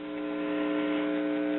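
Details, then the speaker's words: Circa 1974 GE all-in-one stereo with a dead left channel: a finger touched to the volume control input on the amp board gives a weak steady buzzing hum with overtones that varies with volume. Fault is likely past the volume control; not confirmed. "okay I'm touching the input of the volume control with my finger and you can hear we're getting a little bit of harm out of the left channel not what we should be getting though and when I turn the volume control the harm buries"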